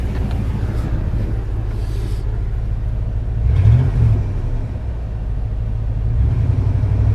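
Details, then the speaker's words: Buddy's Chevy Tahoe found with dead battery, jumped and running on its own, charging about 14.5 V: even low engine rumble at smooth idle, no knocks, misses or squeals; normal idle, original complaint unknown. "it seems to be 14.5 perfor so everything sounds good the truck running on its own I really know what the complaint was"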